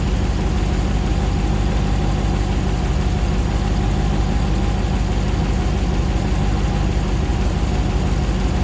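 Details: 2009 Hemi 1500 TRX4 auction truck, first start after months of rebuilding, about 87 psi oil pressure: smooth, even low rumble at settled idle, no misses, ticks or knocks while warming up, no longer jerking like before; normal idle.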